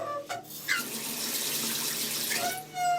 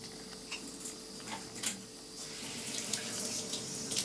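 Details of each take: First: Mixer tap before repair, with both hot and cold singing: rushing water with a clear whistling hum. The cartridge is worn and likely needs replacing; loose pipes or a missing pressure reducer are other possible causes mentioned. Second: Mixer tap after its worn cartridge, whose seal made it hum and sing, was replaced with a new one: water runs with a smooth, even hiss and no humming or singing tone.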